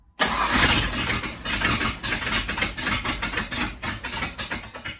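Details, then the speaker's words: Ford Ranger with a swapped 5.0 V8, first start after fixing wrongly wired distributor power: catches on the first crank and settles into a rough, lumpy idle with loud exhaust pulses. Starts fine; ignition timing not yet set. "It needs to be timed. But it fired up. Yeah. First literally first crank."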